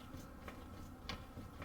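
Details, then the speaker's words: 2011 Subaru Forester, customer complains of clicking suspension noise: faint sharp metallic clicks as the front suspension is pried, the lower ball joint moving loose in its knuckle, suspected stretched or sheared pinch bolt. "You guys can see right there, and again the camera may not be able to pick it up, but the ball joint is basically moving right in there inside of the cup."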